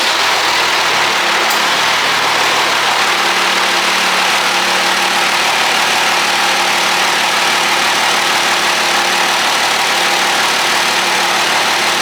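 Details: Cummins 5.9L/6.7L diesel started right after valve adjustment: cranks, catches and settles into a steady, even idle with no ticking or clatter; healthy normal idle.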